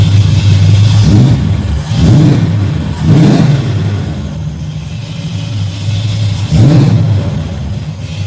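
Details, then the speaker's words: Carbureted Chevy with rebuilt Holley carb, now idling, fuel pressure 6 psi: quick throttle blips rise cleanly and return smoothly to idle without stumbling. Normal rev response. "Wow, she's got good response, too."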